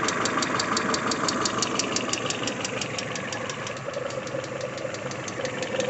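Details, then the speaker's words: Peugeot 406 Coupe after timing belt replacement, coolant 22°C cold: light quick metallic ticking about three per second at idle, fading as it warms and with throttle; hydraulic lifter tapping. "Сейчас вот, слышите, звук уменьшился, пропадает. Это были все-таки гидрокомпенсаторы."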